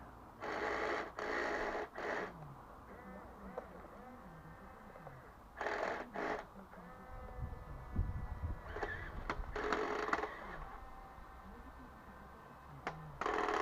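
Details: 1:10 scale RC HL Toys bulldozer power scraper (HL 3058) driven on garden grass with a fixed rear axle in place of an unrepaired differential; short bursts of buzzing motor with rattly chatter under load, as the replacement rear gear, suspected slightly too small, slips.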